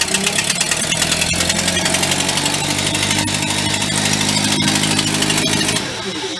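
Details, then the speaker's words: Vintage petrol-engine air compressor used to blow out sprinkler systems, stalling under load; running with air valves open, loud raspy exhaust with sharp hissy ticking, debris blowing out of muffler; suspected exhaust manifold leak, not confirmed. "I think it's got a manifold leak too. Look at all the crap that blew out of the muffler."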